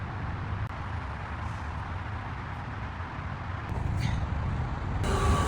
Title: Benz S500 V8 engine Misfires and O2 sensor fault.